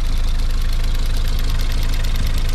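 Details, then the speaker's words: Race car project engine at steady idle with fast, even light ticking in time with the engine from the cam-driven high pressure fuel pump, which needs replacing. "that's that high pressure fuel pump that runs off the cam that's ticking away that does need replacing"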